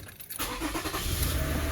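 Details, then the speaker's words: 2007 Toyota Sienna van after replacing a faulty spark plug that caused heavy misfire, no codes: engine catches and settles into a steady, even run with no stumble, all cylinders firing; normal running. "I didn't record this before, but we had heavy misfire on the one hole that was missing, and now we're good to go."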